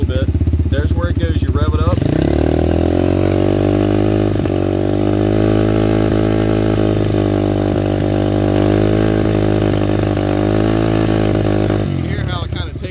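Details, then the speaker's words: New RFZ20 125cc pit/dirt bike, key on run, engine fresh and breaking in: steady strong buzz holding even pitch about ten seconds with no stumbling or popping; idle sounds good, runs smoothly. "it runs smoothly but that's only if you start to hear it correct like right now it's idle fine here idle sounds good"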